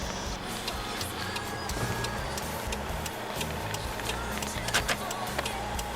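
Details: Turn signal hyperflashing: the flasher relay ticks quickly, a bit over two clicks a second, over a low idle hum, before replacing it with a better-quality flasher unit.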